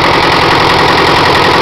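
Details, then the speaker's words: Perkins 402C diesel after valve face repair with reused head gasket, alternator cutting in: steady, dense diesel clatter, even with no misses at idle, about 48–50 lb oil pressure, no smoke; runs healthy. "you can hear the alternator kick in when I connect this wire he runs great"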